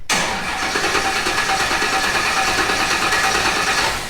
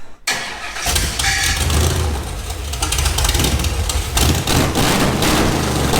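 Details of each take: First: Newly built off-road project engine first crank: starter churns at about three turns a second with no firing; cranks but won't start because the fuel pump has no power on its green wire. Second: Project engine in off-road build, first start after a missing chassis ground for the fuel pump was fixed: catches on the first crank and settles into a steady, slightly lumpy, shaking idle with no knocks; normal start and idle.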